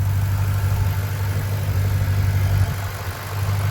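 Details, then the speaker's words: 2009 Mustang GT idling with updated roller followers (smaller oil hole, more top-end oil pressure), under 500 miles later: smooth, even low hum with no lifter tap returning. Normal idle. "otherwise the engine sounds pretty good so yeah let's go ahead and go for a spin"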